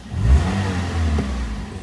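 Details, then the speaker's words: Toyota Avanza 2022 after fixing a simulated fuel pump failure by replacing the fuel pump relay: engine revs up in one smooth even rise, clean steady exhaust note, no misfire; runs fine, normal revving. "Bagus ya. Jadi teman-teman kalau ada unit baru mogok nggak usah panik, pelajari bearingnya seperti apa, siapa tahu gampang diperbaiki."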